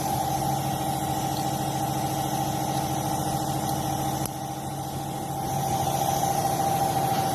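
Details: 2013 Chevy Malibu 2.4 with a P0300 misfire complaint and vibration while driving, ignition coil number three flagged and a loose connector pin found: steady, even idle with a smooth hum and no stumbles or missed beats, running cleanly on all cylinders.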